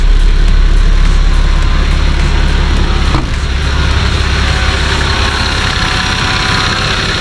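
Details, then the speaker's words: Nissan Patrol TD42 diesel at idle after fitting a new UFI fan and clutch kit (engine had run up to 115° towing): fast, light scraping tick at fan speed, about three a second; a broken-off shroud piece left a tab rubbing on the fan. "it actually created a little tab there that was just hting on the fan"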